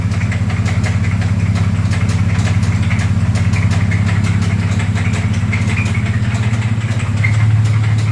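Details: 2004 Dodge Dakota 3.7 V6 running 10w30 full synthetic, knocking hours after shop repairs with oil pressure dropping very low. A heavy, steady knock about three times a second rides over a rough idle: rod knock.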